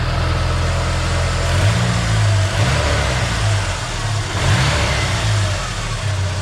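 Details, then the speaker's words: SVO revving after changing spark plugs from NGK TR-5 to TR-6 to cure a misfire: clean revs with an even, steady exhaust note and no stumble. Running much smoother than before. "All right, now let's see if it made any difference. That is way smoother. That is way smoother."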